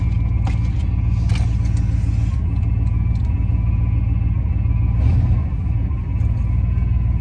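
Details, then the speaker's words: Van's V8 idling just after a chilly-morning start: a thin steady whine over the deep idle rumble; the power steering pump is whining from low fluid, and the owner plans to top up the power steering fluid. "Okay, so if you ignore the power steering pump wind, and we just pretend it's a supercharger sound, then what I'm about to say is going to make sense."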